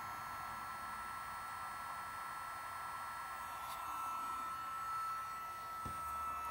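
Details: Gen1 BioLite CampStove after battery replacement, reassembled and switched on: a steady airy whoosh with a thin, constant whine that holds pitch; the small fan spins normally.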